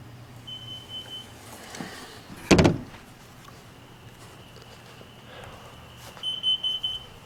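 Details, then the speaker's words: Carbon monoxide detector in a motorhome going off while the engine runs: repeated high-pitched electronic beeps in bursts with a clunk between; owner suspects leaking exhaust manifold gasket seals. "i went off just went off huh that's kind of scary man so yeah we have i have to definitely get that fixed at least we know that that works"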